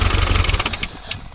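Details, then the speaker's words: Toyota 18R engine after retiming and new timing cover, following a swallowed rocker cover nut: fires and runs with quick, even pulses, no heavy knock, some light top-end rattle; normal start. "Oh well, Sounds alright. Didn't sound like death. didn't explode."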